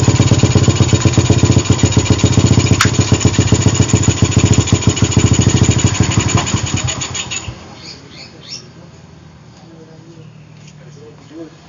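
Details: Suzuki Satria with PE carburetor, formerly hard to start especially cold and stumbling, after a larger pilot jet and new carb rebuild kit: quick steady single-cylinder firing about four beats a second picks up cleanly, then shuts off.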